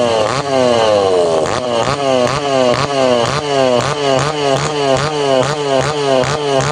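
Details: Tanaka PowerMate PMS340 pruning saw two-stroke, cold engine, after repairing a failed fuel delivery system that stopped it revving: repeated quick throttle blips, pitch climbing and dropping, picking up and returning to idle cleanly.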